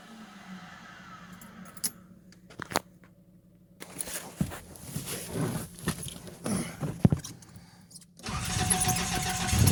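Starter grinds on unevenly for several seconds before the engine catches and roars up; a hard cold start, cause not pinned down. Cause suspected, not confirmed.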